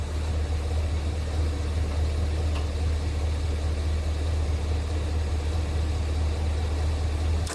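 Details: Gas International 434 tractor that had sat unused for a long time, running after the governor rod was reconnected to the carburetor; low, steady, even putter with no misses or surging, normal idle.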